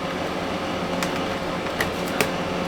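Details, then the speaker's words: RV furnace blower that ran constantly, with furnace wires unplugged from the control board: steady airy fan hum that never slows or cuts out; furnace never tried to ignite, fault suspected in the furnace, not the control board. "So once it goes through its cool down cycle, which can be, I don't know, 20 to 40 seconds or so, it should shut off. But I got this funny feeling it's not going."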